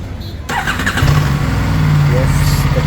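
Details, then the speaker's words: Aprilia RS 457 after fitting a new Exide battery reading 12.5 volts, replacing one with ongoing drain issues; brief starter whirr, fires within a second into a firm, steady idle; healthy start. "bike has started with a brand new Excite battery."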